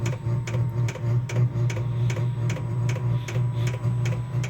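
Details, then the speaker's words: Vevor 12-volt diesel heater running normally while heating a cold two-car garage: low steady hum likened to a V1 buzz bomb, with a light regular tick two to three times a second from the fuel pump; normal running. "Listen to that thing hum. Sounds like a V1 buzz bomb. Oh, she's taking off, folks."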